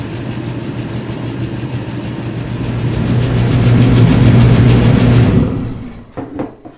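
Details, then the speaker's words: Master kerosene space heater after the nozzle was cleaned and pump pressure adjusted, after about half an hour of running: steady deep roar with an even fan hum, no sputter, then a clean wind-down; normal burner operation. "all right well there it is i let it run for about a half an hour it's running great so all i did was i cleaned the nozzle and i adjusted the psi on the unit itself"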